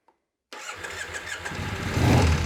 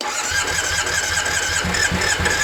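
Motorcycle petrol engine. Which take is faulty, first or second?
second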